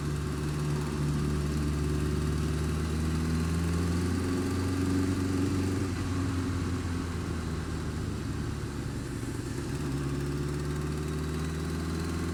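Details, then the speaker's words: Honda Fireblade engine held at steady raised revs with a light, uneven tick over the hum, worse when cold, quieter but not gone when warm; source of the tick unclear. "Like, tit, tit, tit, tit, tit, tit. That's not normal."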